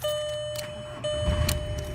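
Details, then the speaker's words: 2000 Volkswagen Jetta with a no crank, no start fault traced to a loose connection behind the fuse box, relay found hot; after wiggling it, steady tone with key on, then a rising surge as it starts normally. "I got my hand behind the fuse box and there was a loose connection there once I did that I weight reached up here and turned the key and"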